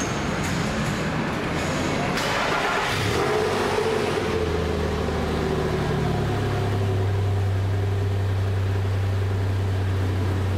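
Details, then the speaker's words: Nissan Pathfinder 4.0 V6, 160,000 km, after repair for smoke with new rings, bearings and timing chains: start then even low idle, no tapping or knocking, no warning lights; healthy. "no warning lights [Music] nice and quiet"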